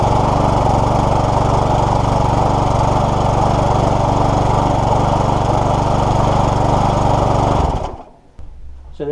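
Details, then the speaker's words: Small single-cylinder lawnmower engine after a hydrolock fix, with oil cleared from the exhaust, head and carburettor: runs at a steady, even beat with no misses or knocks, then shuts off cleanly. Normal running. "that is done it's going to start up and I'll show you it running"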